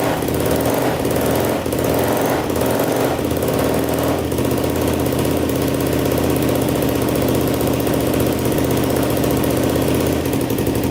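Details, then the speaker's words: 2007 Yamaha YFZ450 quad, bought in pieces after sitting, first start on choke: revs and settles to a fast steady run with a loud rattling tick on top. Owner suspects the timing chain, though it checked tight earlier, or the valves, and may recheck it. "all right well uh it runs pretty good i hear a little bit of tap and noise i don't know if it's the valves or the timing chain i kind of suspect the timing chain even though it was pretty tight when we checked so i might have to check that again"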